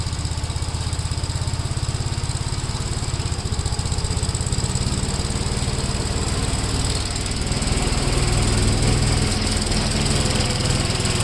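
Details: 1957 Gravely tractor during mowing test after air cleaner service; even, rapid single-cylinder thump picking up slightly as load comes on, no misses or knocks; running well.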